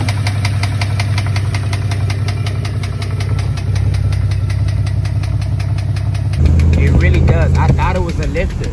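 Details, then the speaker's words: Car driving after flood, window cracked: steady thump about three a second rising with road speed over engine noise; owner ruled out lifter and suspects the tire, after hearing loud grinding earlier. "lifter up a little bit and it speeds up so it's something in my eyes it's something like that has to do with the tire if i'm not mistaken"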